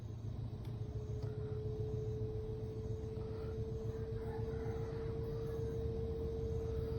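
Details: Samsung washing machine about two years old, running empty on the spin-dry cycle: heavy low rumble and rapid thumping over a steady motor hum; the noise occurs only on spin-dry, and washing is normal.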